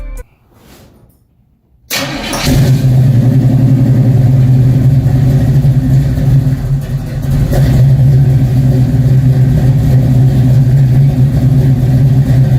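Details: Cutlass V8 after fresh oil change: after a short crank it catches and settles into a steady, deep, even rumble with no knocks or ticks, a healthy start.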